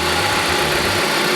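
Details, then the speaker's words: 2010 Dodge Avenger 2.4L four-cylinder, after replacing alternator and serpentine belt: smooth, even idle with a steady low pulse, no knocks, squeals or rattles; healthy normal idle. "Oh, listen to that baby purr. Everything looks like it's back together."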